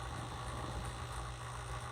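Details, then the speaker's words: 1960s Smith Corona Coronet Electric typewriter just after switch-on: low steady motor hum with a faint rattle; the side-mounted motor can hit its housing sides, fixed by pushing it out slightly. "And then you'll hear this one is a little noisy. You'll hear the motor. The motor's on this side, and so sometimes that motor may"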